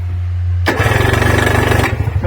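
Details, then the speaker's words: Freshly rebuilt engine, strapped down and not connected to the shaft, spun on the starter: steady even chuffing about fifteen pulses a second, each stroke equally strong; solid, good even cranking compression. "that's a nice solid motor there you ask me she's going to sound good"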